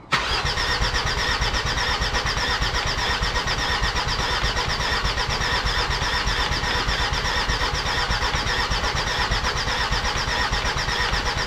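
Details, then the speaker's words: Jeep Grand Cherokee WJ 2.7 CRD OM612 diesel, freshly rebuilt: long, even cranking for over ten seconds that never catches. Owner suspects the new injectors and plans to refit the old ones. "Okay guys, I had some time to think about it last night, and I think that my injectors are stuffing me around."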